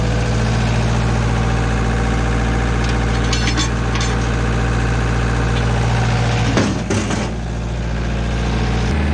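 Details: Stump grinder small engine just after a rebuild, on its first job, holding a steady, even low drone with no knocks or misses; leftover oil on the heat shield burned off later; normal idle.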